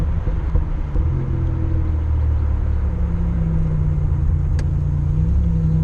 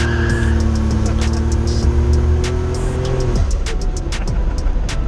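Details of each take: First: Car with a low-RPM, light-load miss; a new coil pack and a replacement coil did not cure it: engine drone rises and sags unevenly, briefly drops out then surges back under load; cutting out, owner suspects bad cam sensor. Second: Boosted car after the cam sensor fix, with the OEM module fitted that cured cutting out at 4,000-5,000 rpm: wide-open pull, 9.8 air-fuel ratio (very rich), note climbs cleanly and evenly then drops off as throttle closes; strong healthy pull.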